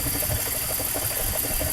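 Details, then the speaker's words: 2004 BMW X5 with multiple-cylinder misfire (P0300, P0302, P0303): uneven, lumpy idle with irregular low thumps and stumbles; cylinders 2 and 3 have no compression. "el 2 y el 3 no me sirve no hay compresión ustedes quiere decir que el motor prácticamente no nos sirve"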